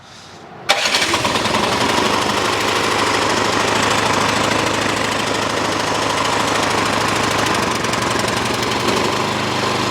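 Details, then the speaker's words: Small engine (snow blower or mower) after carburetor rebuild, choked and primed: catches at once and settles to a steady, even idle with no misses or surging; normal start and idle. "here we go now it idles let's get some seafoam in"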